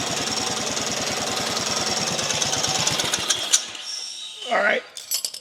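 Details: Small engine after a customer engine swap, first start on full choke after a corroded battery connector was replaced. Quick, even single-cylinder chugging with no misses; normal running.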